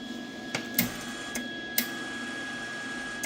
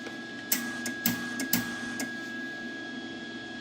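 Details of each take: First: Lincoln Weld-Pak 140HD MIG welder after fixing feed failure from a misaligned spool-mode switch: faint steady motor whine with occasional light clicks; wire feed smooth and even, nothing dragging or slipping. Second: Lincoln Weld-Pak 140HD MIG welder: a thin steady wire-feed motor hum broken by bursts of sharp clicks as the feed stalls. The spool-mode switch sits slightly off and isn't making contact.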